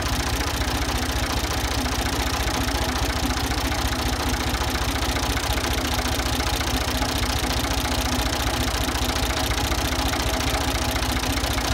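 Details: Ford 2000 diesel tractor running on Diesel Purge injector cleaner fed from a quart bottle: steady idle with a regular hard knock, roughly a hundred a minute, over the engine note; bad injectors suspected, not confirmed.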